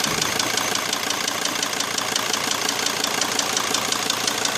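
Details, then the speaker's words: Mercedes Sprinter 2.7 CDI diesel at idle: sharp, regular metallic tapping about three per second from one cylinder. Piston slap from a piston deformed after brief overheating and seizing in the liner; fixed by replacing the piston. "луши оп тук-тук в конце всё стучит поршак"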